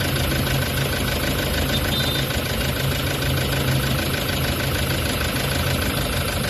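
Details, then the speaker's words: Toyota Hi-Ace diesel at idle, checked by stethoscope before a scan: dull, repeating knock deep in the block in time with the engine. Mechanic feels binding at the con-rod and main bearings, possibly linked to a sensor issue; injector spray seems fine. "okay ang problema may humahawak do sa kanyang cond bearing saka m bearing"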